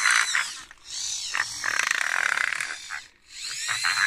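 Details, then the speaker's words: Modified servo on an InMoov robot bicep gear mechanism, run from an Arduino: harsh rasping grind rises and falls. It persists after filing catching screws, so the fault is suspected inside the gears near the top; later greased. "So as you can hear, it's still grinding quite a bit, so there must be something not quite right inside the gears themselves, because I don't think it's these screws anymore."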